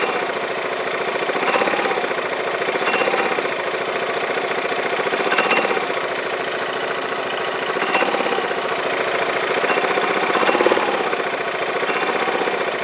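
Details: Yamaha Majesty scooter idling on the lift with the parking brake on: uneven metallic clanks, about four a second, over a steady idle. The owner hears it from the CVT clutch system but is unsure whether it is normal; cause unconfirmed, inspection of the clutch and shaft planned.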